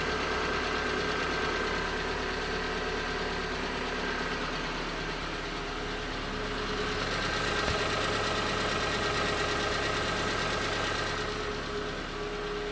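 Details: 2019 Hyundai Tucson 2.0L GDI Nu, 24,000 miles, cold idle on Mobil1 5W-20: light, regular, hollow ticking knock around three per second, piston slap while cold; later 5W-30 made it only a little better.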